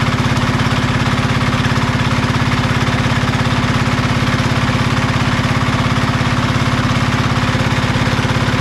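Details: Marketplace diesel generator of unknown condition, tested after reassembly: deep, even thumping at steady rate, no misses or knocks; engine runs well but generator still makes no electrical power, suspected ground fault.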